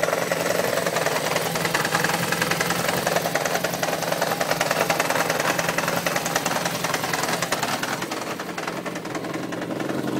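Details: 1993 Yamaha XJ600 at steady idle with a sharp, regular knock about three to four times a second over the engine note, alongside an unexplained oil leak; source of knock not pinned down.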